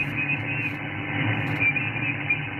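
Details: SDR receiver on an end-fed half-wave antenna for 40/80 m shows a high S6–S7 noise floor: a steady thin hiss with faint whistles. The power supply causes some lines, and the owner suspects the house behind; the source is not confirmed.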